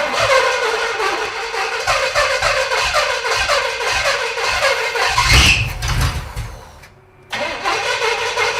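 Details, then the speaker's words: Junkyard 1937 Pontiac engine catches and runs rough and uneven for several seconds, then dies; it may now be picking up gas from the tank, and ignition is set to only about 10° of timing: starts and runs briefly from retarded timing and fuel starvation. "We're alive. I think we're picking up gas from the tank, too. That ran longer than it ever has. Yeah, I think it might have picked up gas. It's only got like 10° of timing in it."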